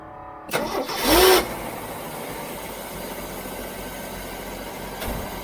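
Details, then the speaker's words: CJ-7 converted back to electric Holley Red fuel pump, fuel pressure about 1 PSI with return line unclamped, air possibly still in lines: short crank catches almost at once, quick rev flare, steady even idle. Normal engine start. "well I love the way it started up sitting at one PSI with the return line un unclamped"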